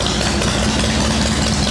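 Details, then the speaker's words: Shovelhead V-twin chopper, day after rain soaked the ignition; wet plug wires/caps suspected, points and condenser found fine. Cold fast idle with a steady, even low thump, no knocks or stumbles; running fine. "That sounds fine right now. Alright, we're not doing points and condenser. It's going to be a different video. Let that idle out."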